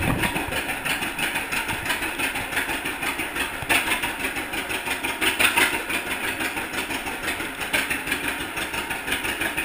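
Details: 1942 John Deere Unstyled A conversion whose engine was stuck, first start after fitting new spark plug wires: slow, even two-cylinder popping at about three beats a second, a steady idle with no knock or miss.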